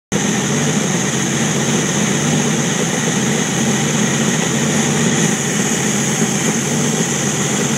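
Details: Jeep YJ with 4.2 L inline-six misfiring at idle: loud steady idle with an uneven, slightly lumpy low beat under the exhaust note, consistent with a cylinder missing; cause not confirmed.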